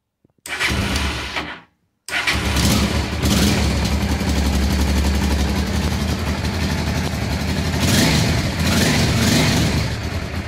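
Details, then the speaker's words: Honda Transalp twin, not started for a while, test-running a repaired ignition module: cranks, catches after a brief pause and settles into an even idle firing on both cylinders, tachometer working, warming up, mower droning nearby; runs normally. "dobra obrotomierz chodzi pali na oba cylindry lekko zagrzeje na tym module żeby już tak normalnie sobie perkała"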